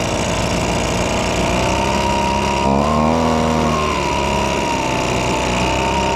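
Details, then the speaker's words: Old abandoned Echo two-stroke leaf blower, first run after repeated pulls; buzz stays high and steady, never returning to idle because the throttle trigger is very sticky and doesn't return fully, to be lubricated with silicone. "well it ran pretty decent but the throttle is very sticky so we're going to put some of the silicone uh lubricant stuff on it on the trigger too"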